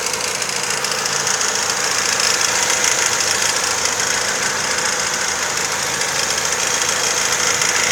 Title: Стук в двигателе. Цепь? Вкладыш? Клапан?